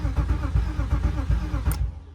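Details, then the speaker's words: 1998 BMW E36 automatic inline-6, crank-no-start: starter spins the engine in even chugs, about six a second, for under two seconds with no firing; owner suspects the crankshaft position sensor. "So, I'm going to replace the crankshaft positioning sensor. I really think that could be it."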